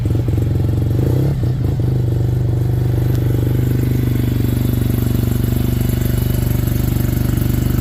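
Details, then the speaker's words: Suzuki RE5 rotary motorcycle after a carburetor overhaul and setup: steady, deep, even idle without misses, hunting or surging. This is how it should sound with the carburetor set up right. Normal idle. "we'll fire it up so you can hear how they're supposed to sound when the carburetor's set up right."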